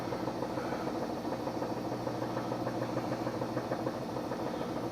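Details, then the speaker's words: Kenmore HE2 front-load washer that won't spin: uneven thumping about 200 a minute over motor hum on spin as the inner tub runs off center, motor controller detecting imbalance; drum imbalance from broken spider. "the motor controller is catching at the fact it's out of balance because the tub itself is it is not sinnard like it's it's off its off center"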